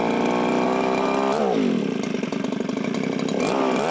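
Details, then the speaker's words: Viper ice auger two-stroke on choke: revs high, sags and picks back up unevenly, never holding steady speed; fuel delivery problem, seems not to pull fuel from tank, needs carb kit. "So what am I going to say? Needs a carb kit. Definitely needs a carb kit. It'll work."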